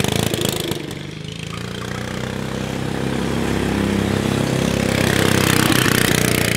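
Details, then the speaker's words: Subaru Robin 9 hp single-cylinder Yerf Dog go-kart after the carburetor needle was raised: it runs unevenly with sharp pops on deceleration. Dropping the jet or fitting a bigger carburetor (26 mm Mikuni) is considered; still needs tuning. "you hear the popping when i decelerate yeah it's a little maybe we can drop the jet out of it and open her up or we're going to have to go to a bigger carburetor"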